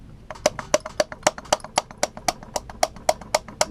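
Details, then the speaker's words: 50cc motorized bicycle engine, 40mm bore 38mm stroke, being disassembled with damaged Nikasil cylinder, crank rocked by hand: crisp, fairly even clicks about four per second; excessive crankshaft end play, owner plans to make shims. "I know you can hear that. It's quite a bit of play for something that's not supposed to have any play."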